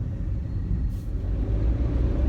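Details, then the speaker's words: Peugeot 107 (same as Toyota Aygo/Citroen C1), on the road after replacing the driver-side front wheel bearing that was noisy at speed: only a low steady road rumble, no hum or growl rising with speed; the front wheel bearing is now quiet. "oh it's silent that Waring's gone [Music] you're driving down the road is gone it's quiet it's beautiful it sounds like a different car"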